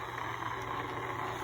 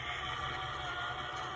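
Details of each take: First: c1964 Stuzzi reel-to-reel tape recorder after motor replacement, fans off, running at slow speed: only a faint, even hum and soft whir, no knocks, rubbing or wavering; normal quiet running. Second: c1964 Stuzzi reel-to-reel tape recorder with non-original replacement drive motor; whirring motor with gritty gear growl stepping up in pitch as speed shifts, after heat-shrink tubing added to the motor gear to quiet it; growl somewhat reduced.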